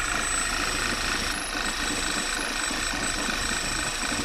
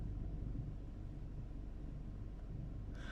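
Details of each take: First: Failed PCV valve, part 06H 103 495 E, at idle: thin, steady high whistle from the valve's nozzle over a rough, uneven idle; covering it makes the engine nearly die. Vacuum leak through failed diaphragm. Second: Car idling after the PCV valve was replaced (part 06H 103 495 E) and the engine light was cleared, with EPC off: low, steady, even rumble with no stumbles, the car hardly shaking. Normal smooth idle after the repair.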